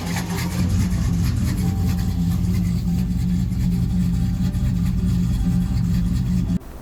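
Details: Big-cam engine tuned with HP Tuners after fuel corrections moved trims from about negative 15 percent: deep loping idle with uneven chop and steady low drone; idle still loose, with idle stability and roughly 100 rpm more planned.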